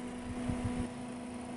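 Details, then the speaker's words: Cooler Master V8 CPU cooler 120mm fan after oiling the bearing: soft steady hum with a faint low tone, no rattle or wobble; vibration nearly gone and airflow improved. "it feels like it's actually spinning and pushing out more air to man the vibration is darn near gone I'm actually really happy with this"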